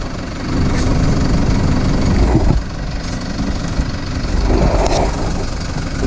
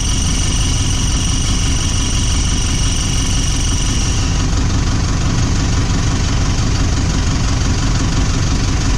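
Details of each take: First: Toyota Prado 150 diesel after replacing the squeaking part (17451-74051) and re-tightening its bolts. Steady low idle rumble with no squeak or chirp; the A/C is being switched on to test a rev rise. Normal idle, squeak fixed. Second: Toyota Prado 150 diesel at idle: thin high squeal over steady idle from a leaking exhaust pipe gasket; foot pressure on the exhaust stops it.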